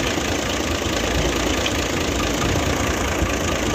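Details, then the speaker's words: Nissan truck FE6 diesel at idle: a loud, constant rushing hiss of pressure escaping, indicating heavy crankcase blow-by (back compression). "तो यह देख सकते हैं कि बहुत ज्यादा बैक कंप्रेस है बहुत ज्यादा है कि यह देखना 100 ग्राम इंजन की आवाज चेक करते हैं यह देखें कि कि इतना ज्यादा प्रेशर कि यह बहुत ज्यादा प्रेशर आता है"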